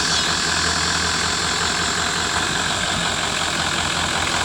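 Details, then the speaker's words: 1996 Ford F-350 dually Powerstroke diesel: idle clatter with a slightly irregular beat, some strokes softer; runs a little uneven, owner suspects one injector still not right. "yeah still run just a little uneven"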